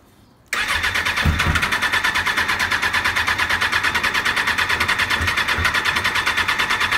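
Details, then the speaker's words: 1996 Suzuki RF900R after tank removal, fuel system cleaning, choke lubed and fresh fuel, first start attempt: even starter whirr about three pulses a second, never catches; owner suspects empty fuel system or fuel pump; crank no start. "Uh maybe it's system still empty. Doesn't want to pick up. Uh I didn't check the fuel pump. That also could be an issue, but let's give it some help."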